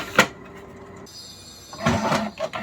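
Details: Canon Pixma G2010 after clearing a paper jam causing E03 error: a click, brief high carriage and paper-feed whir, then soft shuffling bursts while printing a black page; printing normally, problem solved.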